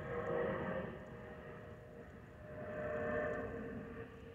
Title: Delta Airlines Airbus A319-114 N366NB DL556 PIT-DTW (FOPP whistling sound)